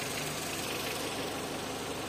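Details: Renault Clio 1.0 16v with intermittent no-start, during oscilloscope check of crank sensor (reads perfect), battery had been discharged: small petrol engine idling smooth and even, steady hum, no misses, knocks or stumbles; normal idle.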